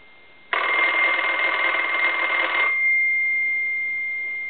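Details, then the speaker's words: German Post Office telephone after its touch-tone conversion and repair, with the bell switched on and a ring volume control: a loud, clean bell rings steadily about two seconds and stops crisply; the ringer works properly. "I can roll that volume down and that's that's on low but you can still hear it somewhat"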